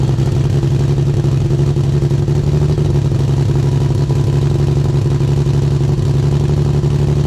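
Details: Single-turbo Nissan 350Z on first start-up: loud, lumpy idle with an uneven low drone and irregular chuffing; owner suspects a large vacuum leak, injectors and hoses checked without finding it.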